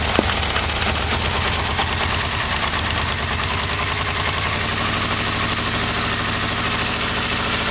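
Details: Yamaha VMX1200 V-Max at a fast, even idle after new exhaust pipes were fitted: a light, steady ticking knock on each firing pulse, source not yet known; no exhaust leak heard.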